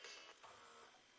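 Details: 1998 JVC HR-J756MS VHS deck, water-damaged, after drum and mode switch cleaning: short smooth motor whir with light click as the mechanism shifts, no grinding or squeal; tape transport healthy.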